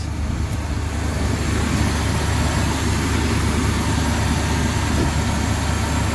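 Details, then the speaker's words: 1974 Chevy C30 wrecker, 350 V8, sat five years, started after gas poured into the carb: deep steady V8 rumble with even firing and no knocks or misses; idling fine. "that sounds good gonna have to put a little bit of gas down here sometime but she's running she is running guys five years she's been sitting five years"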